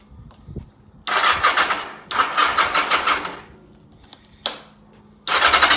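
Engine catches in uneven loud bursts with dead gaps between, never settling into a steady beat; rough running, cause not evident.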